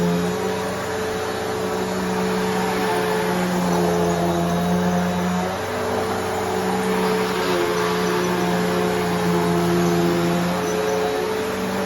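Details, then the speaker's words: One of two Bissell Powerforce Bagless Turbo vacuums (6596 vs 6585) running in a comparison. A steady, even motor hum holds one pitch, with no rattles, surging or scraping; the two motors' tones differ slightly. Healthy. "so if you can hear the tones are kind of different if you know you know if you don't I don't really know how to explain it but if you're in person you can definitely tell these two Motors sound a little bit different"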